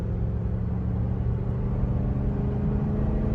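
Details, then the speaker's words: Flood-damaged Cadillac DeVille with a 32-valve Northstar V8; coolant temperature is steady and it shifts perfectly despite a TCC code. Driving under light load, a smooth, even low rumble with no knocks, ticks or misses. Normal running. "I mean, it runs perfectly. I love the sound of that 32 valve North Star."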